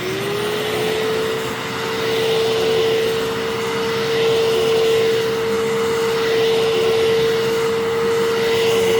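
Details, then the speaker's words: Vacuum run only briefly because its cyclone is almost completely clogged with debris: steady, even motor whine holding one pitch with no rattle or surging; the motor sounds smooth and needs only cleaning and a mini refurb. "and this one does sound pretty smooth so once I clean that out and give it a little bit of a mini refurb it doesn't really need a whole lot but just a little bit of cleaning it'll be in great shape"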